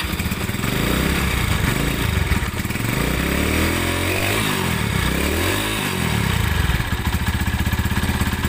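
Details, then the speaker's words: Tiger Evo motorcycle, from 1000 rpm idle with the throttle raised, stuttering and rough: a clattering that gets harsher as revs rise and fall and louder with the clutch pulled; clutch housing rattle. "suaranya kemberungsung sekali teman-teman kita coba kopling kalau di kopling malah makin kencang suara ngaklaknya"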